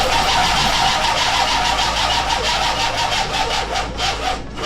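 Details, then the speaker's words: 1984 Oldsmobile Delta 88 Royale that has always been hard to start. The starter churns at a steady three-per-second beat for several seconds without catching. The owner believes the battery lacks power and says a jump pack would start it; not confirmed. "since I've owned this car, it always has been difficult to start. It requires a lot of cranking, but it always will start."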